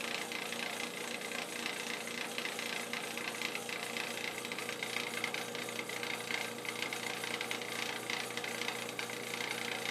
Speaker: What is this sound? Constant noise.